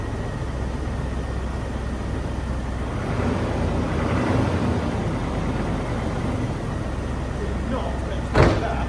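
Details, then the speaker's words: 1996 or 1997 Range Rover P38 HSE V8 barn find, started after long storage: low steady rumble, no misses or knocks, even idle holding speed; normal idle, purring. "purring like an absolute K now bit disappointing really cuz a Will it start video ain't meant to be that easy is it"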